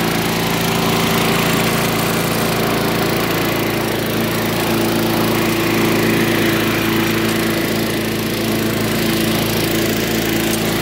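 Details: Curbside-find Craftsman lawn vacuum shredder, small engine with a cleaned carburetor and new spark plug, buzzing steadily at a fast even rhythm with no stumbles or knocks; running fine though it burns a lot of oil.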